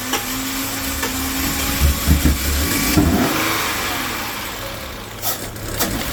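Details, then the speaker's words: Car previously crank-no-start, after fuel supply reconnected and fuel system work: brief uneven cranking, then engine catches and settles into steady, even idle; starts and runs normally. "Awesome, we're in good shape."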